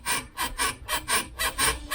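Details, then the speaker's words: Mk3 Ford Cortina GXL prop shaft turned by hand: sharp, scratchy squeaks about four per second from the worn, seized rear universal joint, the source of the noise; the prop shaft itself may be fine. "That's the noise. We thought it was this. It's the back UJ."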